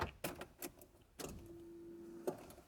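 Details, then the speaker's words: Car's fuel pump being rewired after losing all power mid-drive; between handling clunks, a clean steady mid-pitched whine runs about a second and stops. The fuel pump primes normally and works. "i want to make sure the fuel pump works before i do anything else yes sir let's see if we can hear the fuel pump turn on"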